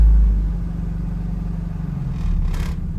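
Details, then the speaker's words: 1986 Dodge Daytona Turbo Z Shelby after the idle screw was turned in from fully bottomed out: a deep, slow, lumpy rumble with the beat rising and falling a little; idle still too low. "idle's really low but it's not super obviously we did the whole subframe on this thing"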